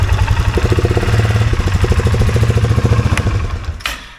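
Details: 2023 Polaris Sportsman 570 idling near 2000 rpm instead of about 1200, hard to shift. Fast, steady thumping idle then drops away as the plate is pushed shut. The throttle plate hangs slightly open at the minimum throttle stop.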